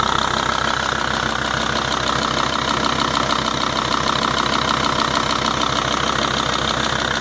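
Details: 2.5 TDI Volvo-Audi diesel idling with a crisp, regular tick about three times a second over a clattery background; the source of the ticking is unknown.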